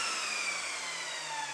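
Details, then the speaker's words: Evolution Rage 5-S table saw, hard motor start before soft start module fitted: loud high-pitched howling roar reaching full volume almost instantly, then abrupt cut-off; harsh jumbo-jet-like start-up. "sounds like a jumbo jet and it's not a pleasant experience to hear this machine to start and sometimes it could be virtually just scary listening to it"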